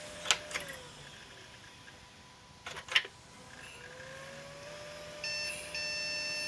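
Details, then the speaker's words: 1997 Compaq Deskpro 2000 (AMD K6), first power-on in 16 years, CMOS battery possibly dead: repeating short high beeps at startup with blinking keyboard, an unidentified POST code; owner suspects RAM, later swapped for a known-good 256MB stick. "false start bad beeps blinking keyboard that's a first never had that before that could be a ram error"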